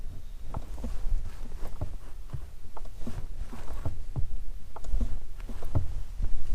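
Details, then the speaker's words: Subaru with a clutch pedal problem: sharp, uneven clicks about two a second each time the pedal is pressed; owner heard of a possible recall and is taking it to the dealer. "all right hopefully you guys heard that clicking noise so yeah I'm going to take it to Subaru right now"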